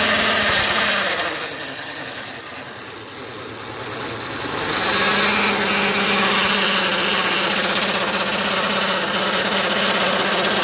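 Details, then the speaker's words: Hero Duet scooter engine with a harsh tinny clatter at about four beats a second, caused by a loose nut on the engine cooling fan under the clutch cover. "ये इसी का नट जो है ढीला हो गया था, इसके लिए ये आवाज़ कर रहा था बहुत ज़्यादा।"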